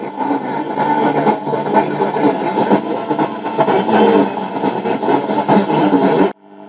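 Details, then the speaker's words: 1950 Telefunken Musical 9650a valve radio after electrolytic recap and tone-circuit capacitor change (now 220 nF): alive but very degraded, steady harsh hiss and muddled tone with no clean program, as the UCH41 converter/mixer valve fails. "Ves que la radio está viva pero muy degradada."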